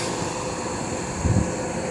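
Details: Portable air conditioner running on full blast, condenser blowing hot air out the back: smooth steady rush of air with a low hum, no rattles or scraping; condenser fan running normally.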